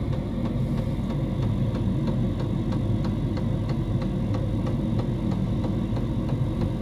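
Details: Diesel heater in a homemade fox box at full temperature, 87 °C at the heater pipe outlet: steady low hum with soft even fuel-pump tick about twice a second; running normally at full output.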